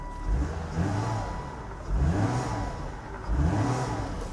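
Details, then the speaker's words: Vehicle at an IAA salvage auction, quick throttle blips rising cleanly and dropping to a smooth idle with no knocks or rattles; it sounds healthy, normal revving; it drives forward and reverse. "it sounds healthy"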